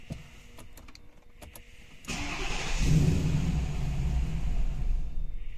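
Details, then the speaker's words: Mercedes W221 with M273 engine, stalling on start more and more often: starter whirs, engine catches and runs briefly, then fades out instead of idling, third and fourth attempts; stays running only with throttle applied. "Завожу машину уже третий раз и глохнет."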